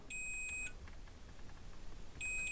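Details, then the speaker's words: Intex UPS board that beeps continuously, MOSFET tested with a multimeter on the board: steady continuity beep across the legs, showing it shorted like the previous one, which was shorted on all three pins: shorted MOSFET. "यह देखिए भी shot बता रहा है"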